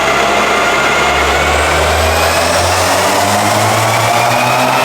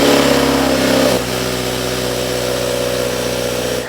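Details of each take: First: 2019 Subaru WRX FA20DIT turbo on the dyno under full load after a new spark plug, coil change and intake harness fixes: smooth, even sweep up through the revs with no stumbling; it previously broke up around 15–16 psi. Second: 2019 Subaru WRX FA20DIT turbo with aftermarket intake, on dyno after all coil packs replaced: uneven, stumbling pull under load, intermittent misfire/breakup persists; coil pack swap did not fix it.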